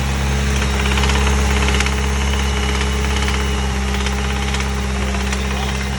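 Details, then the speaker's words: Mitsubishi Evo engine, ticking noise that persisted after changing lifters and progressed: deep heavy metallic knock about three per second under a steady idle; metal shavings found in the oil pickup, owner suspects a spun rod bearing. "I really was trying to deny it the whole time, but I knew it started sounding like a rock knot. So I immediately just stopped driving the car and I went to pretty much take out the oil pan."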